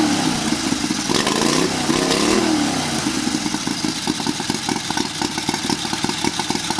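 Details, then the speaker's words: Turbocharged 670cc carbureted offroad buggy, VZ21/RHB31 turbo, first start with charge piping on boost, no load: starts fast, snaps up in revs and drops back to an even idle; crisp throttle response, no turbo flutter heard. "Wow, that is insane. Guys, I'm pretty shocked. I did not think it was going to start up that fast."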